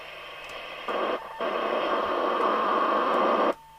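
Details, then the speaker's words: JWR M2 UK CB27/81 mobile CB radio during alignment. A cheap 20 MHz signal generator used as a marker oscillator near 10.695 MHz beats in the IF, giving a steady whistle near 1 kHz over receiver hiss. Heterodyne beat note. "there we go can you hear that musical notes"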